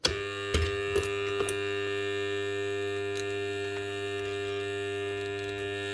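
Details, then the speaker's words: Bosch GWS 9-115S 115mm angle grinder with a burnt-out armature. A steady mains-frequency hum with a few light clicks early on. All the armature segments are shorted together, though not to the spindle, so it only hums instead of turning. "And that vibrating noise is the frequency of the power going on. So as the sine wave goes between positive and negative, it's actually turning on and off the magnet, or the magnet being generated by the armature. That's where you're getting that noise from it. So that is actually totally shorted out."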